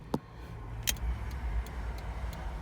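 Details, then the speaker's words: 1983 Ferrari 308 under rebuild, testing electrics after battery charging: faint evenly spaced ticks about three a second over a quiet background; hazard flasher relay clicking normally and hazards flashing. "our hazards working. Yeah, and they're actually flashing there. That's pretty cool."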